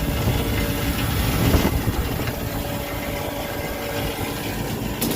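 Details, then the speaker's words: Restaurant kitchen AC condensing unit, just restarted after its batteries were replaced, both contactors pulled in: heavy low hum with an uneven knock about three times a second from the left-side compressor, plus a distinct fan noise; the compressor is knocking internally. "don't know how well it's coming across on camera, but that compressor right there is making a knocking noise."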